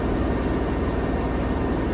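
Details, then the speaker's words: Samsung washing machine on its final spin cycle after replacing the failed flange shaft (the old one came apart, bolts snapped): a steady low rumble and whoosh, quiet, not shaking or walking around as before; a healthy spin. "That's on the finished spin cycle. Nice and quiet. Look at that, ain't shaking. Not bouncing around everywhere."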